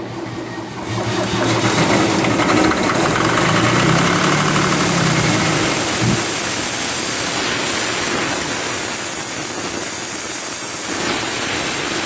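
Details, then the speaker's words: CompAir mobile compressor diesel engine, after bleeding fuel to injectors, starting with no load: catches and revs up, then note sags and wavers unevenly as it settles; starts okay then runs rough after start. "it's doing the same routine is well that's the best yet starts out okay and then it goes to hell"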